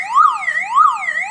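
Loud siren sweeping up and down about twice a second with no engine behind it: a disconnected siren still running off its own backup battery.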